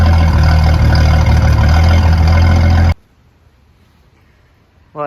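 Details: Turbocharged Ford 4.9 (300) inline-six, first fire-up after Comp 268 cam install, warm about 18 minutes, coolant ~209°F, 60 psi oil pressure, timing ~12°: deep steady idle rumble, even beat, no ticks or knocks; healthy.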